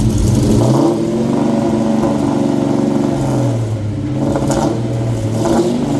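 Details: 7.3 Godzilla V8 engine swap, first start after an ECU hardware update, TPS auto-set and a calibrated throttle body: smooth, deep burble rising and falling with the throttle, no knocks or misses, normal running and revving.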